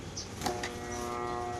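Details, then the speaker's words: Ayica electric fan, owner reports it is stuck: after a brief knock, a steady electrical hum with no blade whoosh, motor energized but not turning; likely cause is shaft or bushing. "So based on my experience no mga katropa pag ganun yung sira ng electric fan niyo so dalawa lang sira mga katropa yung shating niya yung busing niya mga katropa."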